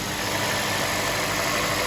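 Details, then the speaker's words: 2008 Ford Escape Hybrid, 109,000 miles, 2.3 L inline four-cylinder Atkinson engine, heard under the hood: even steady hum with some belt and accessory whir, no ticking or knocking; normal idle. "All right, so here you can see the full engine system running. Like I said, it is a 2.3 liter, and I think it's a 4-cylinder."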